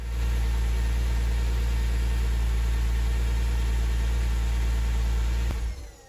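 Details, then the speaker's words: Porsche 911 after engine rebuild, previously rough idle from vacuum leaks: petrol engine hums smoothly and evenly, then is switched off, once the leaking area is temporarily sealed with tape; now runs beautifully. "So for now, I'm going to put some tape on there and just see what happens next. So that was it. I put more tape on for now. And immediately it ran beautifully."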